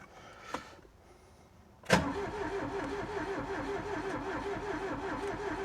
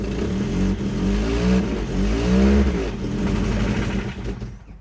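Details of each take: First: Ford Taunus Cortina fastback coupe, first start after 40 years parked in France, 40-year-old fuel, choke not found: click then labored, slow churning that never speeds up; slow cranking, starter suspected not good. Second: Ford Taunus/Cortina fastback coupe 4-cylinder, first start after 40 years parked, on 40-year-old fuel: engine revs and settles smoothly with an even beat and no knocks; normal running, just before a clatter stopped it.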